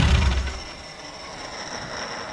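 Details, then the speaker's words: Renault 5 GT Turbo engine in a van, first start after injector, base idle and parameter setup: engine shuts off with a brief rumble, then a thin high whistle fades as the turbo spools down normally. "can hear the old spoolie boy I'm happy can you tell"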